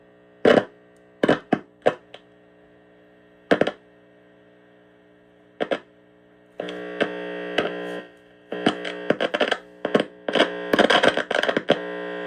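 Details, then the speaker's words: Heathkit IT-12 tube radio test setup: steady low mains hum with scratchy crackle bursts as the probe moves, and no programme audio. Owner suspects a bad connection in the probe, which may also explain low gain. "Yeah, I'm not getting anything on this, so I'm gonna regroup here and I'll come back to you."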